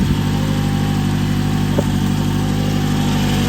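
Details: 2011 Toyota Camry at idle just after the serpentine/power steering belt, which had come off with animal nest remnants found, was refitted. Steady, even low hum with no squeal, chirp or slap; belts running straight and true and not thrown. Normal idle.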